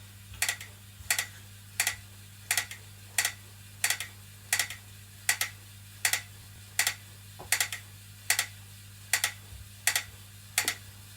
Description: After 1 workout the new BTM spin bike makes clicking noise when pedals turn